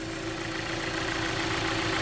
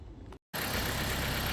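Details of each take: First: 2014 Jeep Patriot, about 94,000 miles, with overheating history, warmer day, hood open: steady idle with a light quick tap over direct-injection clatter; suspected lifters, much quieter than the loud knock when cold the night before. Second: 2014 Jeep Patriot with overheating and bucking, after new battery and radiator cap; steady even idle with radiator fans roaring, kicking on right away; suspected bad battery connection caused the issues.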